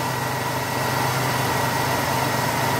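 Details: 1994 Ford Taurus after replacing the alternator brushes for an alternator cutting on and off; steady even idle with smooth low hum, no dips or surges, starts up beautifully; normal idle after repair.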